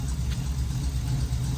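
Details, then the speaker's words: Dad's Jeep, recently back from the tuner, idling rough with fuel pressure gauge showing about 56 (spec around 60, earlier only 50); low, uneven idle that lumps and wavers, gauge vibrating sporadically; suspected insufficient fuel pressure. "Oh, 56. Hey, that's better. Plus or minus 5 if it's from Harbor Freight. Still isn't running very good though."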